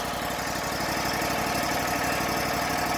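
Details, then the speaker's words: Wallenstein BMXT 4238 wood chipper, bought at auction as a non-starter, after repair and reassembly: small engine settles into an even, steady idle with a smooth regular beat and no knocks or misses; running healthy. "Yep. Purring like a kitten. That's nice."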